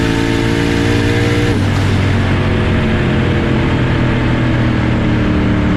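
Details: Boosted drag car launching on street test hits: engine bogs and stutters low right after launch, slow to build boost, barely a burnout; owner suspects launch rpm too low.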